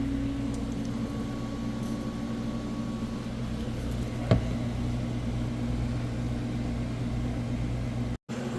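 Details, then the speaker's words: Samsung front-load washer after replacing all four shocks, past the 7-minute mark and spinning very fast. A steady humming spin with even tones and no thumping or banging; balanced, normal high-speed spin. "all right and we've surpassed the 7 Minute Mark we are spinning super fast"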